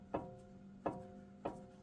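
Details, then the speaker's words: 2018 Jeep Wrangler Unlimited Sport, passenger-side front axle universal joint into the front differential: three sharp metallic clunks with a brief ring as the axle is rocked; visible play, worn joint needs replacing. "See how you can hear that clanking? So that universal joint is starting to go"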